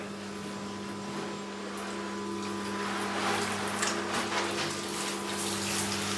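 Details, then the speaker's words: Newly fitted Stuart Turner shower pump, heard through one sheet of plywood, shower running: quiet steady hum under rushing water, no rattle or surging; runs smoothly with ample pressure, cured intermittently hot and cold electric shower. "barely hear the thing running, and there is plenty of pressure for a shower, It's not a power shower, but it's fine."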